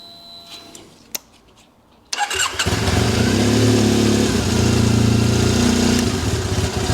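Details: Triumph Bonneville twin after the right-side spark plug problem was fixed: quiet two seconds, then fires and settles into a steady, even idle with both cylinders pulling cleanly; spark plug issue confirmed as the cause.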